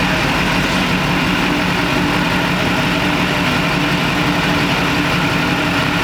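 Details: 20-year-old Duramax diesel pickup, recently new injectors, cooling system just opened and topped off, sat a while; smooth low idle rumble, no misses, whistles or knocks, no boost leaks heard; normal idle.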